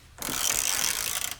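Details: Harbor Freight Pittsburgh Pro composite 3/8 in drive ratchet after torque testing to 202 ft-lb: a quick, crisp run of even pawl clicks, no slipping or crunching; ratchet still working normally.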